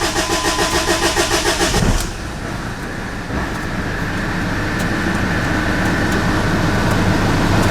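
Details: Jeep Liberty CRD diesel near 200k miles, after timing job and intake manifold cleaning, previously shutting off at stops: rhythmic cranking about two seconds, then catches cleanly into a smooth even diesel idle; normal start.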